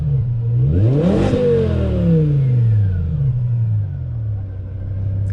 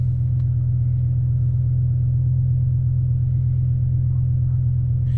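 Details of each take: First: BMW E60 M5 S85 V10 test drive, temp about 210: strong rising pull, clean climbing note, smooth fall-off, exhaust rushing past restrictive mufflers, no stumble; normal acceleration. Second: BMW E60 M5 with S85 V10 running rough after codes were cleared: deep, loud rumble with an uneven beat around 170 per minute. Codes showed cylinder cutoff and misfires, including cylinders 3 and 4, plus an unplugged acceleration sensor; misfire suspected, not confirmed.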